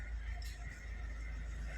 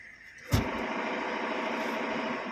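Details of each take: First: Maruti Suzuki S-Cross 1.6 diesel, 129,300 km, after gearbox removal and repair: low, even diesel idle rumble with no whine or rattle from the gearbox; neutral gear noise gone, clutch and gears healthy. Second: Maruti Suzuki S-Cross 1.6 diesel, 129,300 km, idling in neutral: light, uneven metallic rattle from the bellhousing that stops when the clutch is pressed; gear/clutch plate noise in neutral.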